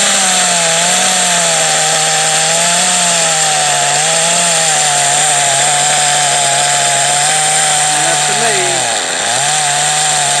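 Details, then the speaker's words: Kyosho GXR .18 nitro engine from a DBX 2.0: uneven buzzing with harsh gritty rasp; definitely a bad bearing inside. "me yeah so there's 100% bad bear in there somewhere I mean you can hear it it sounds terrible"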